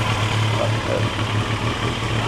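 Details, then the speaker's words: Turbo Yamaha motorcycle running for the first time in about 40 years, warming up: deep, steady thrum at idle with an even beat and no knocking or rattles; normal idle. "Ooh, yeah. >> Sounds good. Yo, you guys crushed it. Let's not run it out of gas again."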